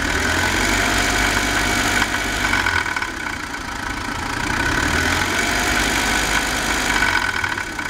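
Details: BMW 318i four-cylinder at idle: beat and level waver and stumble, surging unevenly every couple of seconds; rough idle.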